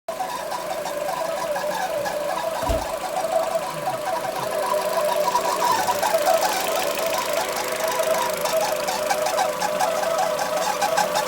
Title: Citroen c5 посторонний шум после ремонта